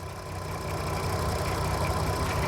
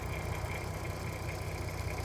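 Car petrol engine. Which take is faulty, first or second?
first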